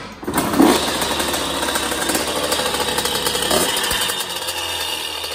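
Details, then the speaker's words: 2001 Honda CR80 two-stroke running: light metallic rattle or knock over the raspy exhaust buzz, caused by a loose motor and exhaust pipe, possibly after a hard fall. "so yeah y'all it's like a little like a little rattle a little bit like a definitely like a little rattle going on"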